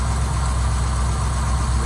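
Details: 1955 Buick that used to stall at low speed and start slowly, after carburettor work, started next day; deep, even idle rumble, constant beat, no stumbling or stalling; normal idle.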